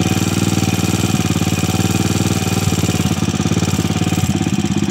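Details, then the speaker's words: Motorcycle running before a 10,000 µF 50 V capacitor is fitted across the battery: fast, regular, loud clattering tick over the single's idle beat at steady speed; engine is noisy because its cam follower is worn. "huwag nyo nang pansinin yung ingay ng makina. Talagang maingay na yan kasi may tama na yung follower niyan."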